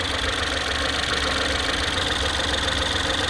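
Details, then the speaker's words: Ford Escape 1.6 four-cylinder petrol with a misfire: rough, uneven, stumbling idle with popping exhaust pulses from one dead cylinder; engine shakes, no fuel smell at the exhaust. "سامعين الصوت؟ صوت زي فرقعه، مش فرقعه يعني تفويته، بب بب بب بب بب. يعني معنى كده ان في سلندر اوريدي ميت، يبقى انا عندي دلوقتي سلندر ميت."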